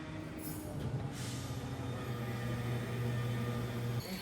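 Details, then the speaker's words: Rotary turbo Mazda RX-7 race car, not run for over a decade, priming its fuel system: steady low electric hum from each pump as pressure builds, no sputter or leaks seen; all pumps working normally. "c'est comme un grondement pour cela, récupérez la troisième pompe, très bien, toutes les pompes semblent fonctionner,"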